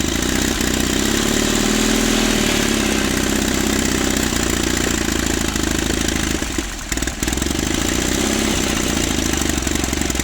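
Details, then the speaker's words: 1950s Caterpillar D4 after 20 years sitting: the pony motor buzzes steadily turning the diesel over, blowing white smoke; as the diesel barely catches the pinion kicks out, and the pony motor must stop to re-engage; pony motor carburetor may also need work. "So every time it gets starting just a little bit, it'll kick out the pinion on the pony motor, and then I got to shut off the pony motor to get that pinion to engage again."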